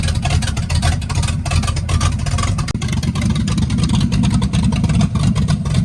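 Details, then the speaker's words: 1965 Chevy Impala, non-stock 396 Turbo Jet big block V8 with fresh camshaft, open headers: loud choppy loping idle with crisp revs, good oil pressure, idling good; normal lumpy cam idle. "I now have it where it's idling and everything and it's got some decent chop to it."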